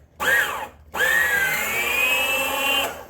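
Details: Kid's Peg Perego John Deere Gator ride-on on a 20V DeWalt battery, newly replaced drive motor tested in low gear: two short bursts of smooth, even electric whine rising and holding steady; gear motor runs cleanly after repair.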